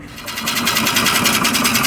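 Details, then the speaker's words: Type 4 VW 2056cc engine with 96mm big bore cylinders, first start after rebuild: rough idle with rapid, regular scraping tick at a steady rate. Something is rubbing; location found, fixed right after. "Oh, we have some rubbing issues. I can hear"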